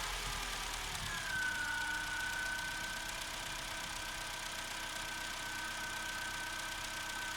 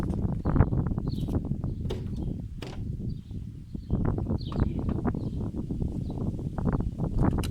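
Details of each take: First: Opel Corsa C 1.2 16V (55 kW) petrol, cold start after spraying connectors: revs ease down over two seconds then hold steady even idle, no misfire; started first time. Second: Opel Corsa C 1.2 16V (55 kW) petrol, first cold start: uneven, lumpy thumping that stumbles and misfires, fails on first try then starts on second; suspected poor connector contact, not yet cleaned.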